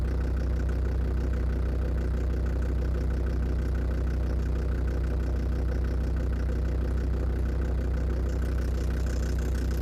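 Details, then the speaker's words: Land Rover Defender TD5 diesel idling cold. An even, fairly regular knock of about three per second sits under the clatter. The most likely suspect is faulty hydraulic lifters, unconfirmed. "сейчас у меня есть ощущение что я слышу этот звук уже не из шноркеля а где-то в салоне но он поменялся вот этот ритм"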